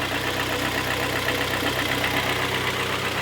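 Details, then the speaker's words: 2013 Kia Sportage G4KD, AWD automatic, 169,000 km: steady idle with a hard, even diesel-like clatter from several cylinders; endoscopy found scoring in all four cylinders, causing piston slap. "Ну и слышно что брякает не один цилиндром а их много он как дизелёк работает как будто бы дизельные фос сунки почат порят"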